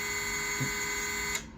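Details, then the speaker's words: GEPRC GR2306.5 1850KV brushless motor on first FPV drone build, bench test via app: clean steady high-pitched whine holding pitch, then cutting off; all four motors spin, ESC/flight controller solder joints good. "and then again I can adjust the speeds, and that's the various pitch noises you're hearing. But yeah, so we have confirmed that all 4 motors are working"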